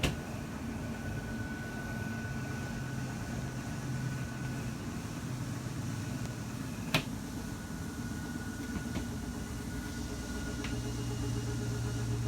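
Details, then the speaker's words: Microlight 25BRDS travel trailer ram-style slide-out: steady low motor hum with one sharp click near end indicating full extension; normal slide-out extension. "slides on a ram style so you're going to listen for a clicking sound and that'll indicate that it's fully"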